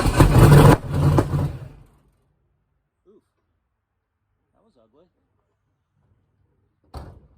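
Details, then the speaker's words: Engine on its first start attempts after a build: brief, ragged start that stumbles unevenly for two seconds then dies; misfire because spark plug leads for cylinders five and six were swapped. "i might have a plug wire on in the wrong order let me look all right so yeah i had five and six switched"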